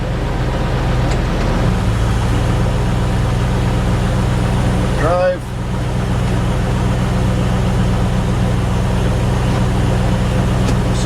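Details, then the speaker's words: 1997 Land Rover Defender 90 four-speed automatic transmission at idle after a filter and gasket service, with only 3 quarts of fluid refilled so far. Steady low idle with one soft thump as it drops into gear, no flare or clunk; it engages cleanly. "You can already hear even with just the 3 quarts we're already engaging into gear"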